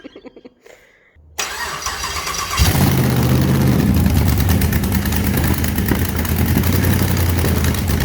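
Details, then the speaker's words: 6L LS V8 (LS2 or L77) in Mini Mog, first start in shed: silence, then the V8 catches into a loud, deep, even rumble with steady revving on open headers, shaking the shed; strong and healthy. "And it shakes the whole shed, so it's certainly loud enough."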